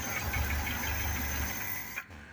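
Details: Suzuki Carry 1.0 running on LPG (BBG) with idle gas line set up; low even idle rumble holding steady, then a clean cut to silence at switch-off; healthy idle.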